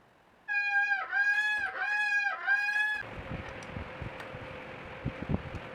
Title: Loud brake noise problem can be fixed with dishwashing liquid and sandpaper #bikeservice